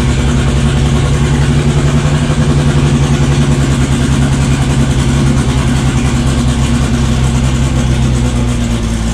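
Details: Built 500 hp 2.3 on its first start: loud, deep, lumpy idle holding a steady speed with a constant low drone, running and idling normally.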